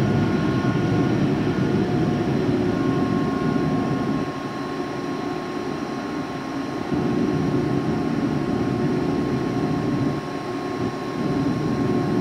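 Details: Used 2005 Boge 40 HP variable-speed-drive compressor, 79,131 run hours and 1,909 loaded hours, at max rpm building pressure (holds around 105): smooth steady motor whine with dense even drone, easing slightly as load changes; normal run-up.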